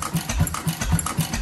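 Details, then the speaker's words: 6 hp International Mogul engine on its first run, fed from the top gasoline bowl (tank still holds kerosene), fuel pump repacked, original rings left in, compression improving each run, slight leak suspected at the igniter copper seal: steady, even chuffing of about four firings a second with no knocks. Normal running. "so it is running pretty good it's running on the gasoline Bowl on top"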